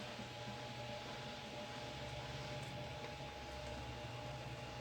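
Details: GT9800 graphics card fan after removal, cleaning and thermal paste replacement cured a fan noise: steady soft airflow hiss with a low hum, running smoothly and quietly.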